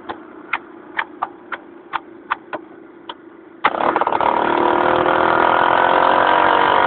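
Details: Modified Honda Cub small motorcycle engine misfiring while riding: sharp uneven pops break its steady beat, followed by heavy wind noise.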